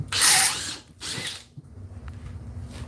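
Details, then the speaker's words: Makita XGT 40V drill in turbo mode boring wood: the high whine drops off and labours in short bursts, then goes quiet. The drill bogs down on a knot; no metal was found in the wood. "it does not like that knot at all"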